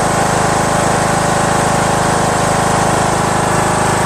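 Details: Craftsman LT2000 19.5HP lawn tractor engine after valve lash adjustment, which fixed the loud running and front clicking; smooth, even idle with a regular pulse, no clicking, no valve cover leaks.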